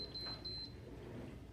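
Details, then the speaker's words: Sage/Breville Dual Boiler espresso machine, long unused, steam control turned on: three quick high electronic beeps over a low hum instead of steam, the known three-beep error. "uh steam control. It says three beeps. That is quite famous for these machines."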